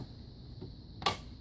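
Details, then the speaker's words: Chrysler/Dodge door opening and closing: faint tick then a sharp pop or click from a worn door check, which is the part to replace. "you'll probably familiar with this sound if you listen to the doors when you're open closing you're gonna pop or a click sound"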